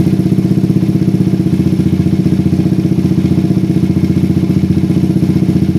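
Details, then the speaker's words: Motorcycle (Satria FU) with PE24 carburetor, stock needle jet, J6ZB needle, pilot jet 35, air screw almost fully out: low thumping idle, slightly uneven, rising and falling, revs slow to drop; too rich at low rpm because the needle jet is too wide and short. "saya gak dapat RPM yang teriak ya ini artinya untuk RPM bawah ini terlalu basah guys ya padahal saya menggunakan PJ ukuran 35 aja guys dan IDnya juga gak bisa stabil kayak gini ya agak naik turun sedikit"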